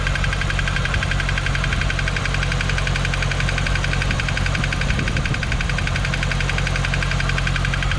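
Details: 2015 C7 Corvette Z51, six-speed manual, Edelbrock supercharger, 80,000 miles: steady V8 idle with fast light tapping in time with the engine, suspected AFM lifter failure, thought driver-side cylinder 7 but possibly front; fix planned: AFM/DOD delete, new cams, pushrods, lifters, tune.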